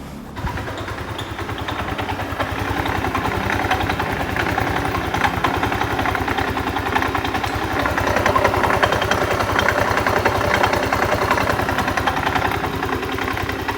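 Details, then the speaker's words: Yamaha Aerox 155 (older model) scooter with 138 on the odometer, engine suddenly rough: steady idle with a coarse, uneven beat of about three or four pulses a second, rougher than it should be; cause not yet found. "dan seperti itu suara mesinnya ya teman-teman suara mesinnya sangat kasar dan kemungkinan kemungkinan"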